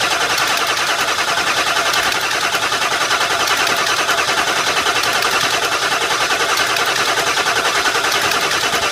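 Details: Ford F350 with a crank-no-start condition, fuel pressure under check: the engine turns over with an even, rhythmic churning at about two to three beats per second but never fires. The cause is unconfirmed.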